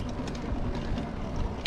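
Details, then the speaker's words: Juiced Bikes HyperScorpion electric moped (Bafang motor, Shimano Altus drivetrain) in eco mode at low speed, shifted to lowest gear: irregular light metallic rattle and vibration, first suspected derailleur out of tune, actually chain hitting the side of the chain guard. "It's a decent gear ratio, but you could hear some rattling going on. Hear that rattling and vibrating there. Now I thought this was my derailleur being out of tune at first, but it is not, it is actually hitting the side of the chain guard here."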